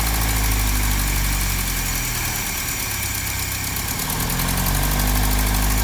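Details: 1955 Land Rover Series One with a fully rebuilt engine, first start after sitting about 50 years, with a fresh fuel pump and fuel, carburettor tuned by ear: a steady low rumble with an even beat, no misses or knocks. Normal idle.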